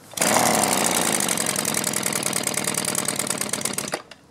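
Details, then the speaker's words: Small two-stroke with barrel-type carburetor, hard starting and bogging, after turning the mixture screw out a quarter turn: ragged, stumbling scream on throttle, never clearing, worse than before; carburetor dirty, needs cleaning. "same thing I turned it out a quarter turn it seems like it's not even doing as well as it was before"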